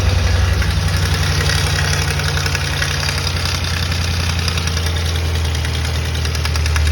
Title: 2005 Mustang GT engine rattle sound - What could it be?